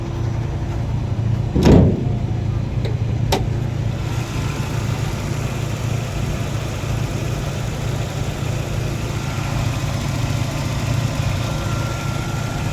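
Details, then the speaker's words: 1992 Toyota Corolla, 5E 1500cc engine, manual gearbox: after a brief start-up blip, settles into a low, steady, even idle with no misses or knocks; healthy normal idle. "สตาร์ทเครื่องให้ดูนะครับติดแล้วนะครับเครื่องเดินเรียบเดินเบาดี"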